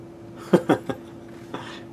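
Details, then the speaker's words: 1978 Realistic (Radio Shack) MPA-100 100 W PA amplifier running with aux input at half: three quick dry clicks then a fourth over faint hum; a relay suspected, cause unconfirmed. "It does sound like there's a relay in here somewhere that's clicking."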